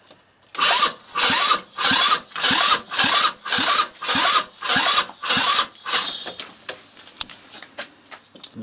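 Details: 161QMK scooter engine, first start after long storage and reassembly with timing marks set, rusted carburetor damper and oxidized intake: about ten even cranking bursts, nearly two a second, engine not catching; hard start.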